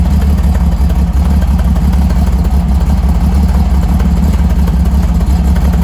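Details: Freshly rebuilt Holden grey motor with twin carbs, first start, temporary open exhaust straight out of the muffler: deep, steady burbling idle, even firing, no knocks or ticks; normal, healthy idle.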